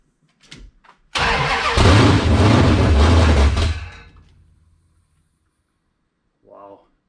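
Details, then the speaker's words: 1978 Dodge D100/D150 Warlock truck, 360 small-block stroker, first start, cold, no choke, fresh gas, fuel squirted into carb bowls: catches after brief crank and roars with a deep lumpy burble for about three seconds before dying away. Healthy first fire. "first start wow all right she uh she wants to go"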